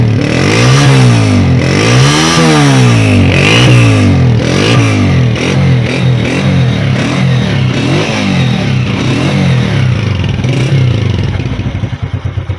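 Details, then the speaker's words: Honda CG 125 single-cylinder bike blipped up and down every second or so after fitting a silencer: flat, rattly exhaust note that still doesn't sound right, before switching to an old-model silencer. "देखिए, जो बंदे बोल रहे हैं ना अभी सलेंसर लगाने के बाद भी आवाज़ सही से नहीं आ रही"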